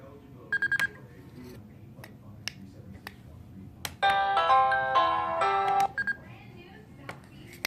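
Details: Newly installed wireless doorbell, just fitted with three batteries and synced as a replacement for a failed wired unit: a clean multi-note chime rings for about two seconds in a quiet room. The chime works normally.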